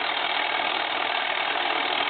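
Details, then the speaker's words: Foreign desk telephone, possibly a German post office set, converted to touchtone, ringing with the bell turned to its flat side: two seconds of buzzy mechanical chatter with no bell tone; ringer solenoid still clacking. "our solenoid is going to kick back and forth and so I'm going to go ahead and ring"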